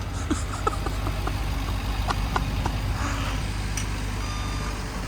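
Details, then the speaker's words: Ford 6.7 Powerstroke diesel single-cab truck, bought damaged: diesel idling with a thin, repeating high beep while backing up; backup beeper operating normally. "Oh, backup beeper, dude. Yeah."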